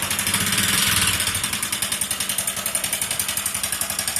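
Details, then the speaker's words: Motorcycle with over 80,000 km: sharp, fast metallic top-end ticking over idle, sounding like engine noise but entirely cylinder head noise, not connecting rod; head to be opened for top-end work; valvetrain knock. "ஆனா இதை பார்க்கிறதுக்கு engine noise மாதிரிதான் இருக்கும் இது முழுக்க முழுக்க head noise தான்"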